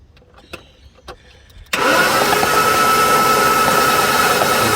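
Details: 1988 Jaguar XJ6 (XJ40) whose fuel tank filled with water: starter spins steadily at about four beats a second with a high whir but the engine never fires; spark looks reasonable, owner suspects no fuel and injectors not clicking.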